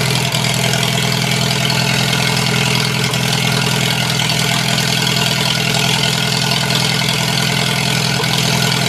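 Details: Farmall H four-cylinder tractor starting in cold, windy weather after its cables were cleaned; it leaks some gas. Uneven, lumpy idle loping about three beats a second, not yet firing on all four. Owner plans to clean it again. Rough idle, misfire.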